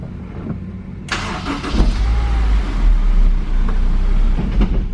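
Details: Normal start on a Honda S2000: short crank, the engine catches cleanly and settles into a steady idle with no scraping or grinding after firing, which would have pointed to the starter.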